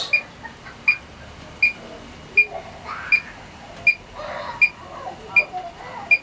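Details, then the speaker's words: Electronic leak detector readied after ~20 s warm-up for R404A condensing unit leak test (12,000 BTU rotary compressor, first stage of dual-stage cascade): sharp high ticks at an even ~80 per minute, never turning constant. "it go through it all its motions with the lights and all that want to hear um a beeping sound then you know it's ready"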